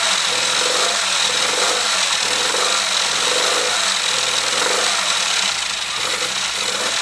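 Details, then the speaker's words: Classic Mini 1380 engine with Piper 649 scatter camshaft, first start after build with coolant in: uneven, lumpy idle with a stumble roughly every quarter second; misfire later traced to one plug with a closed-up gap. "all right sounds like it's got a bit of a misfire so i'm just going to take the plugs out i'll check then we'll be back in a minute"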